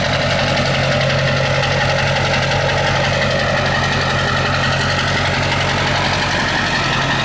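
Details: Ford 7.3 diesel truck started after long storage once batteries were charged: steady, even idle with deep low rumble, no knocks or misses; fired right up, normal diesel idle.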